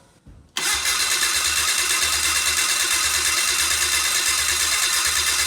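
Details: Old four-stroke fuel-injected snowmobile after 30 days underwater, oil and filter changed: starter spins engine steadily with even pulsing but it never fires; water still in cylinders, plugs wet.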